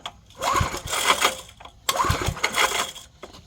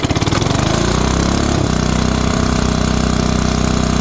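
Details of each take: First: 1970s Briggs & Stratton 4hp flathead on an air compressor, revival attempt: two rope pulls with quick uneven chuffs, never fires; cranking no-start, owner suspects compression still too low. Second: 1970s Briggs & Stratton 4hp on air compressor, cold start the day after first run, shroud and belt fitted, choke used: catches within a second or two, settles to steady even thump; normal cold start and idle.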